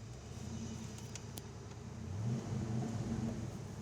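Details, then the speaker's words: 1986 Ford Mustang GT V8 at 71,9 miles, cold start: key in, starts up easily, then a soft, even low rumble with a steady beat and no knocks or misses; normal cold idle. "key in the ignition starts up easily it is cold"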